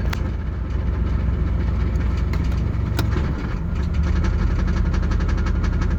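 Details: 1989 Pontiac Firebird 5.0L 305 V8 at idle: deep rumble with light uneven metallic rattle near flexplate; louder with A/C on, changes or stops shifting P/R/D/N; flexplate bolts tight, no cracks; slip yoke slight play; highway vibration 100-110 km/h; cause unknown.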